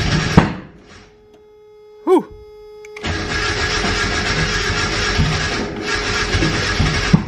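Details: Turbo Mazda Miata at 10 psi, cold start after adding cranking fuel to the tune to fix long cranking in cold weather; owner suspects injectors were questionable; a short crank, then it catches cleanly and runs steady and strong with no misfire.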